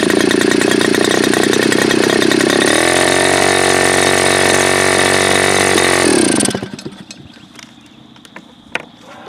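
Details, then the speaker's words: Super Tigre G4500 glow engine, first run, before low-speed needle adjustment: loud steady buzz drops to a lower, uneven burble for a few seconds, then quits; rough idle, owner suspects it is a little rich on the low end. "So I think it's safe to say it might be a little rich on the low end, perhaps."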